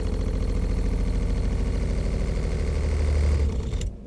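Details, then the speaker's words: Motorhome fresh-water pressure pump, tested after installing a pressure equalization tank: a low, steady buzzing hum runs a few seconds, then shuts off cleanly; normal pump cycle. "maintenant la pompe démarre et vous pouvez entendre ça coule ici l'eau coule maintenant"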